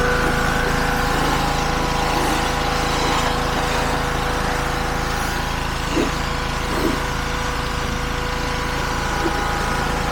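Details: Petrol-powered pressure washer, salvaged from scrap, after its seized pump was replaced with a new FridayParts pump: small single-cylinder engine holds a steady drone under spraying load, no surging or knocking; healthy, slight fitting leak only.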